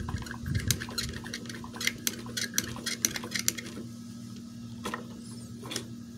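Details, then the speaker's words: Magnum XL 1.20 four-stroke RC engine, still hot right after dying at full throttle with smoke, turned by hand: uneven sharp squeak and clicks about one a second; squeak gone when cool; owner suspects overheating or too-tight valves. "and for now with moving the engine over by hand I'm starting to hear this like quite a bit of obnoxious um C uh squeak or clicking noise"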